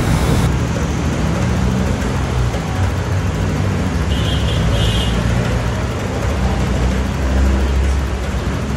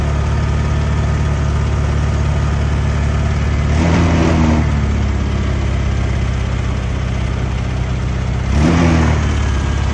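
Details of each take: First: Honda Click 125 scooter after repair of its bogging and stalling: revs rise cleanly and evenly, climbing quickly with no stumbling at high RPM. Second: Honda Click 125 scooter: rough idle, then bogs and chokes on throttle blips and dies instead of revving cleanly; trouble codes checked via battery-area socket.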